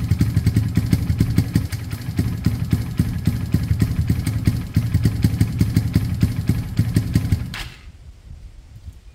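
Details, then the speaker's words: KSR GRS 125 motorcycle on its second start attempt, with compression and fuel confirmed, with the airbox refitted and a new spark plug. Even, steady low thumping of about four beats a second with no misfires, then shuts off; runs fine. "that's sounded pretty good to me let's get this air box on"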